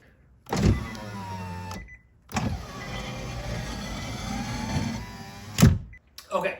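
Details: Driver-side power window of a 2013 Nissan Leaf with over 160,000 miles: a slow scraping grind with motor whine throughout the upward travel; regulator or track binding suspected, with loose bolts checked and tracks and cables lubricated.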